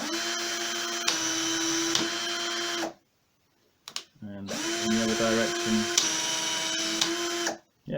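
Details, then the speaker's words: Aldi Workzone 18V cordless drill after replacing its burnt-out, smoking motor with a new RS550 12-tooth motor and reassembling. Clean, even whine whose pitch steps with trigger speed, reversing smoothly with no grinding or rattle: as good as new. "so that seems to be as good as new"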